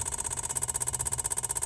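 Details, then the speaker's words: Van's evap purge solenoid under scan tool test stepped from 0 to 100%: fast, even, light clicking that stops at 100%, still present after replacing the solenoid though slightly quieter, so possibly normal. Purge solenoid clicking. "Maybe it's slightly quieter, but it still does the same clicking noise, so maybe that's normal."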